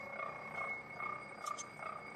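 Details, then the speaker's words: Hobbing machine cutting a 127-tooth gear, slowly, about a third of the way through. Even cutting chatter with an occasional vibratory buzz, and the gear rings like a bell about twice a second; no hard hits: normal cut. "any signs of hard hits, but occasionally there's a little bit of a vibratory buzz and you can hear the the chatter of the cutting process and that's just the way it is."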